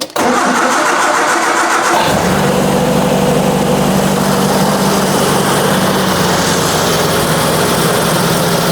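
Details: 1966 Triumph Spitfire, rebuilt 1147cc engine, new coil fitted, timing believed off: brief crank, catches after about two seconds, settles into uneven, slightly lumpy idle; rough running, cause unknown.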